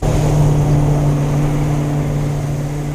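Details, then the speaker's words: Land Rover Discovery V8 under load after new downpipes, stainless muffler and tip: deep, smooth, even drone, earlier raspy bark gone, exhaust sounds normal. "and that's gone now on the load it sounds way better like a normal V8"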